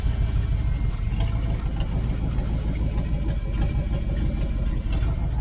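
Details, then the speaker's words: 1978 Dodge Aspen R/T V8 during restoration, fitted with a smaller starter that sounds different from the old Chrysler type: it starts cleanly into a deep, even rumble and goes into high idle. A normal start and idle. "so anyway started up here it sounds a little bit different than the old chrysler type"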